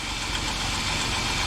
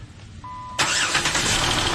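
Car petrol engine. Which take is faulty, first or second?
second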